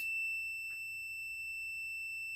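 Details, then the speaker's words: Top-load washer that fills and agitates but won't drain or spin; multimeter on the lid switch gives a steady high-pitched tone while the switch is held closed: continuity beep, switch good. "here's the switch and I'm going to manually engage the switch and you'll hear that it does have continuity once it starts to beep"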